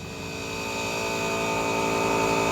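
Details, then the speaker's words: Small air compressor set to 40 psi, running in the background, to be hooked to the city water connection to blow out the lines when winterizing a Rockwood Mini Lite 2205S RV; steady even hum building slightly, no knocks, normal running. "so i hooked up our fitting at the city water connection i have my air compressor that you can hear in the background running set to 40 psi"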